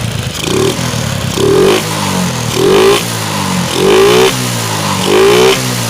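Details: Shogun 125 after fixing ignition (dropped battery) and fuel-line fault causing stalling and misfiring, idle adjusted: five clean throttle blips rising crisply and returning to steady idle without stumbling; revs normally.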